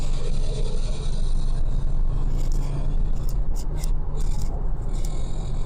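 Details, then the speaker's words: Mercedes CLK55 AMG fitted with E-class wheels, accelerating: deep engine rumble with short harsh metallic scrapes that get faster and louder with speed, every time; owner suspects wheels or brakes, cause not confirmed. "so one of the other issues that we've got with this car is that there seems to be a metallic scraping noise as you're accelerating the scraping seems to get uh faster and louder um as you accelerate so I think it's something to do with the wheels or something rotating increases the speed"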